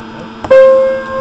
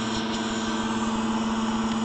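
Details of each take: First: Modern Universal player piano stack, Perflex pouch test with finger over the hole, good pouch: soft click, then a clear piano note rings and sustains with no air bleed hiss, proving the pouch is sound. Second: Modern Universal player piano stack with Perflex pouches: steady pump hum with a soft, constant airy hiss as air escapes through a failed pouch with the finger over the hole; the note doesn't play.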